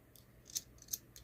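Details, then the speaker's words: Control on an old six-tube Motorola tube radio, turned by hand with nothing else running: dry, gritty scraping bursts from a crusty, corroded part. After cleaning with a wire brush it turned smoothly without grinding. "God it just sounds horrible I don't know what it looks like inside down there okay that's fine just this it's gritty"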